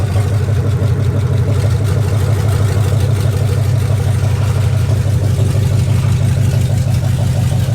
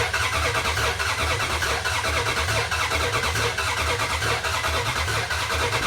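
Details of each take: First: 2004 Dodge Ram Rumble Bee, swapped 6.1 HEMI V8 from 2006 SRT Charger, open headers, on the ground: deep choppy rumble with steady beat around three a second; healthy, though dash warning lights on, AC and O2 sensors unplugged. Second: 2004 Dodge Ram Rumble Bee, freshly swapped 6.1 HEMI V8 from 2006 SRT Charger, first start: uneven idle surging about once a second, lumpy hunting beat; rough stumbling idle, suspected unplugged port on intake.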